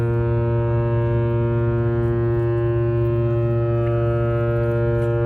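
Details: James R Barker ship arriving at Duluth at night, first horn salute came out wrong (misfire on the salute); deep steady low-pitched blast, cause unknown.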